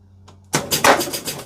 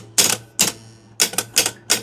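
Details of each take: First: Gottlieb pinball machine during troubleshooting: one sharp, solid knock then quick run of lighter mechanical clacks as a replay is won; knocker firing cleanly and strongly, normal. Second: 1973 Gottlieb Kingpin pinball, 10-point score reel stepped by operating the relay manually. Harsh, uneven clacking bursts about three a second. Coil stop in the reel likely indented; possibly a spring that is too heavy.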